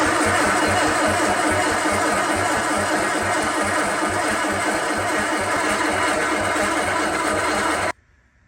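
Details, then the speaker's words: Sunbeam Alpine 1725 engine being started with starting fluid after a timing adjustment: steady cranking about three beats a second with no firing, only a little exhaust backfire. The carb may need a rebuild. Owner suspects timing and doesn't think the distributor is 180° out. "It's more than likely a timing issue. I don't think the distributor is 180 out. We did get a little bit of backfire out of the exhaust"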